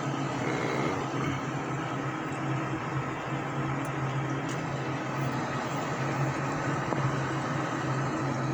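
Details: Payne furnace running after a no-heat repair (part cleaned, connection re-crimped, popped fuse bypassed for testing until the proper 3 amp fuse is fitted): steady even air rush with a low hum and no knocks; runs normally.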